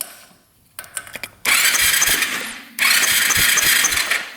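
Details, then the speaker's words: 2001 Arctic Cat 300 4x4 ATV that needs carburetor work, with good spark: two cranking bursts with an even, quick chug about four per second and no grinding or hesitation. The starter spins the engine healthily. "Engine actually doesn't sound half bad turning over, either. I cannot believe that."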